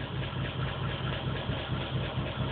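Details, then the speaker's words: Engine on stock ECU via patch harness, fresh plugs replacing black fuel-soaked ones, P0300 and pending P0300 set: low idle thump with uneven pulses about four per second and a faint stumble; random misfire. "and the pending po300 so that's the misfire code so it's both misfires"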